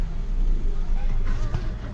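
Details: Tata Tiago after repair of an ECM IC for fault P0353 (ignition coil C, cylinder 3, control circuit open): it starts on a short crank and idles with a smooth even rumble that takes revs properly. It previously stalled or misfired; no misfire now.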